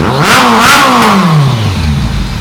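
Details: 2001 Kawasaki ZRX1200R with CVK carbs, warmed up after tuning with pilot screws at 2 5/8 turns (factory 2 1/4, jetted lean), idle turned down; a quick throttle blip climbs cleanly and drops smoothly back to idle without popping or hanging. Running well.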